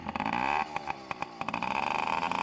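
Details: Yamaha PW50 two-stroke dirt bike warming up after its carburetor was stripped and a large chunk of debris was blown out: a crisp buzz that picks up cleanly on throttle blips, pitch climbing smoothly with no stumbling. It runs properly.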